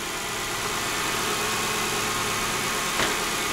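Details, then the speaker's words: 2002 Lexus LS 430 at 312,000 km, idling after timing belt replacement (half the engine dismantled): smooth, quiet, even hum and hiss with no ticking or slapping from the front; runs "like a clock", different from before the repair; normal idle. "Ну да, слушай, он по-другому работает. Он как в часике работает. Легкое подрывание."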